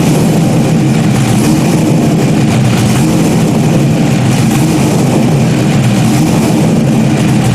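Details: Stock-block 5.3 V8 race car just rebuilt after almost a year, idling after its first start: loud, even, throaty rumble with a steady beat and no knocks or misses. Rebuilt engine runs clean; normal idle.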